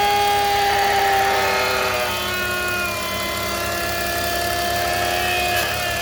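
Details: BMW E46 325i running with thin whistling tones that waver and shift in pitch as vacuum changes; intake whistle, owner suspects a noisy DISA valve or a vacuum leak, unconfirmed.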